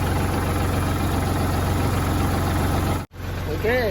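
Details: Kubota tractor diesel that wouldn't crank despite power and good fuses, now running after a jumper wire bypassed the weak ignition/start switch: steady, even low chug at idle with no misses or knocks; idling normally.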